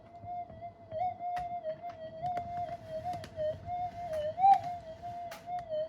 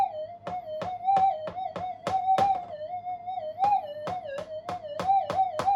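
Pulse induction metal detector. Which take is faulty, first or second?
first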